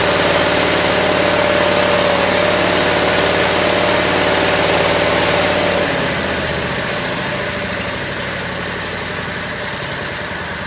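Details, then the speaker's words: Craftsman lawn tractor small single-cylinder engine, first start after sitting over a year, cold start on choke with jump charger; settles from fast idle to steady even idle, no misses or knocks; normal idle, may be low on gas. "Running There it is. Idling pretty good. Yeah, I'm happy. This thing hasn't run in a long time."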